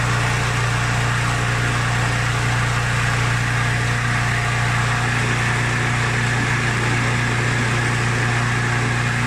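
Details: Mountfield SP536ES self-propelled mower, RM55 160cc engine, after service, new battery and drive belt: steady, even drone with a strong low hum, no knocks or misses. Normal running.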